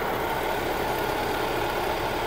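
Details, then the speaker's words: Vehicle at idle, engine also leaking oil: constant rough grinding hiss over the idle without any beat; worn alternator bearing about to fail, risks snapping the belt. "Yan po yung ingay na maririnig nyo na yung bearing po ng alternator ay talagang anytime soon ay bibigay na."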